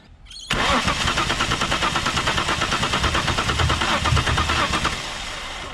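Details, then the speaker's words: Holden VL Commodore cranks steadily about three turns a second for five seconds but never fires, despite fuel now priming the rail; owner suspects plugs or clogged injectors, not confirmed. "maybe it needs plugs or maybe it needs a new set of injectors maybe they're clogged doesn't even seem to want to fire though"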